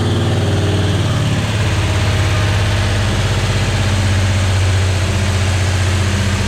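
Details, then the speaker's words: Car's first start on original Quadrajet carb after too-big 650 carb ran too rich: brief catch and flare, then smooth even idle without the earlier lumpy cam-like lope; healthy note; handbrake cable rattle noted. "it was like idling, bum, bum, bum. Sounded like I had a cam in it, but that's got a good note to it now."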